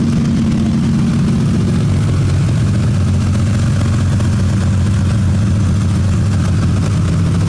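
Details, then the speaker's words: 2001 Ford Ranger with a rebuilt 4.0, restarted after sitting 2.5 years (fixed by restoring grounds): steady, smooth idle, quiet engine with loud exhaust rumble; coolant low, possible vacuum leak suspected. "I mean, the motor's honestly it's quiet. The exhaust is kind of loud."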